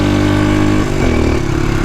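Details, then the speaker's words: Blue 300 four-wheeler after top-end rebuild, pull starting in second gear, too tall a gear: deep single-cylinder thrum lugs then picks up and powers through; normal strong acceleration under load. "Like we're in way too high of a gear, but it'll power through it. The other 300s won't do that."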